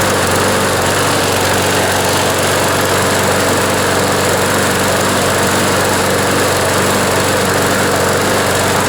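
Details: John Deere JS26 push mower with a Briggs & Stratton engine, run after the blade hit something hard and was reassembled: a steady, even, high-pitched buzz with no misses, though it still vibrates a lot; a bent crankshaft is suspected.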